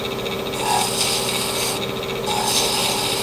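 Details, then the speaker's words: Wood lathe sanding ebony at 400 grit on a thin-turned piece: steady sandpaper hiss with only a tiny vibration, no thumping or wobble; the small bearing runs smooth and true. "hear that little tiny bit of vibration that is amazing that that's all we're hearing because that little bitty bearing in there is doing all the work right now is doing a great job"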